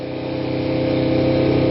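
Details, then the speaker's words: Kawasaki Ninja 250 carbureted twin, cold start after sitting a week, full choke: fast, smooth, even idle around 4,000 rpm with slight pitch climb; normal high choke idle. "So you can hear it's idling a little high right now at about 4,000 RPM."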